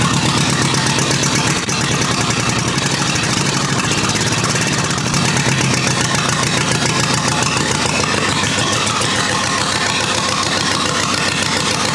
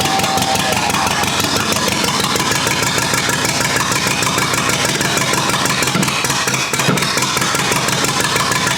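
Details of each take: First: Rebuilt U23 engine on its very first start in 25 years, non-original carburetor still needing idle adjustment: even, lively idle with regular beat, no knock or misfire; running smoothly, no leaks, fuelling still needs tuning. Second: Rebuilt U23 engine, first start after 25 years, choke up, idle mixture screw about two turns out: uneven, lumpy idle pulses that stumble and falter; carburetor not yet supplying enough fuel at idle.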